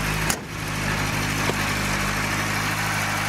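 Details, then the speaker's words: Suzuki Samurai idling after welding a cracked catalytic converter/down pipe: steady, even idle with a smooth low hum, no puffing or ticking; much quieter than before the repair, with only slight exhaust spitting remaining. "it is definitely a lot quieter than it was before"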